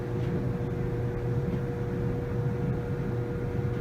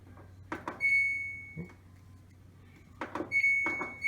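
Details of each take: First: Samsung DV45H7000GW/A2 dryer after a squeaking-noise repair kit was fitted: an even low hum with a faint steady tone and a smoothly turning drum, with no squealing or scraping. Normal running. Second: Samsung dryer model DV45H7000GW/A2 drum squeaking in uneven high, thin bursts; support rollers or idler pulley suspected, fixed with a replacement kit.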